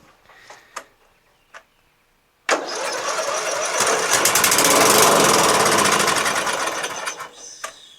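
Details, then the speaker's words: Murray LT widebody lawn tractor, Briggs 12.5HP flathead, hard brittle fuel line, choked with starting fluid: a few cranks, fires and revs about five seconds then dies; runs only on starting fluid, fuel not reaching the carburetor. "so it starts with go-go juice which means fuel is not getting into the carburetor"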